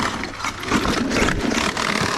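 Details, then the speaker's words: Redcat Racing Vigilante RC truck running: harsh gritty rattle and scraping chatter from the driveline; differential blown again, stripped diff gears. "it is red diff is completely blown again this Ain right are you [ __ ] serious"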